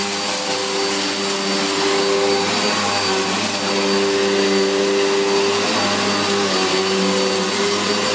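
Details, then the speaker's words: Electrolux Filtaire 1600W vacuum cleaner after stripdown, repair and refurbish: steady high motor whine with even airflow rush, no rattles or surging, picking up everything; normal running. "well that sounds really good that's and it's picked up everything it is yes that's really cool"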